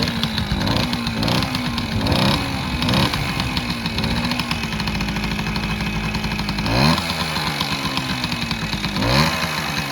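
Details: 1968 Suzuki Sportsman M15-2 50cc two-stroke, first cold start using choke: a light ring-ding idle with clean throttle blips; heavy smoke, likely too much oil in the mix or possibly worn crank seals; normal cold start and idle.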